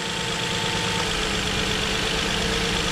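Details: 2007 Nissan Murano 3.5L V6 after replacing the cylinder 3 ignition coil (rear bank under the intake manifold) that caused a misfire: smooth, even idle with a steady hum, no stumble or skipped beats; all cylinders pulling evenly, misfire gone.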